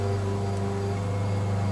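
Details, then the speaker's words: High-voltage step-up transformer rated about 2,000 V and 2 A, plugged in: steady low mains hum with a coarse strange buzz on top, unchanging, strong magnetic field around the iron core; loud transformer buzz. "You can hear this strange buzzing noise."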